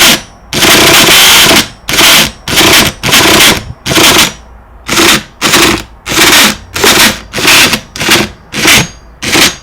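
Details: Hyper 7 RC car, about 4 months old, stripped and cleaned, glow charged overnight: the starter whirs in one-second bursts but the engine never fires; the owner suspects the clutch.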